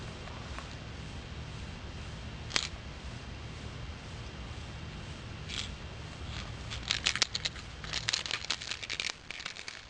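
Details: 2 A charger: irregular bursts of light, dry clicking as the unit is moved, like a loose broken piece rattling inside the case; cause suspected, not confirmed.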